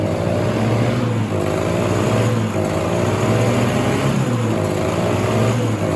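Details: 1967 Ski-Doo Alpine twin-track snowmobile, sat many years, running on its own fuel line before carb cleaning: uneven blubbery two-stroke surging and dipping every second or so, sounding rich; flooding, owner suspects debris in the carb needle and seat.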